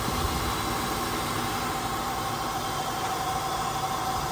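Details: 2001–02 Acura MDX after replacing the serpentine and power steering belts to cure a squeal: steady, even idle hum with a faint constant tone and no squeal or chirp; belts run quiet and healthy.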